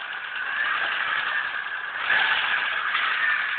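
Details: Mitsubishi 4G63 2.0 113 hp, 1996, European-market, 200,000 km: engine revving with a busy clatter over a hissy intake note; engine knock present, cause unclear.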